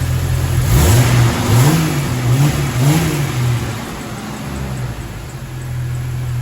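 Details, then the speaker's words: Engine after replacing a broken idler pulley adjustment bolt and fitting a new tensioner pulley, original pulley bearings reused: idles and revs smoothly with no belt chirp or squeal. "Start it up. All right, no squeaks."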